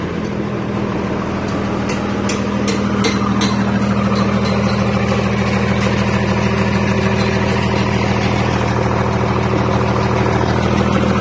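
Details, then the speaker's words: Mitsubishi 6M61 diesel after fixing cranks-but-no-start ECU/wiring fault: deep, steady idle with an even beat of about 200 per minute, no knocks or misses; running clean. "So ayun, umantar na."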